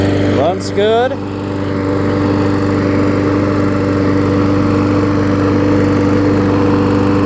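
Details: Craftsman push mower, single-cylinder Briggs engine, after carburetor diaphragm replacement, safety cable fix and service: steady even drone after a brief throttle blip, no misses or surging; normal running.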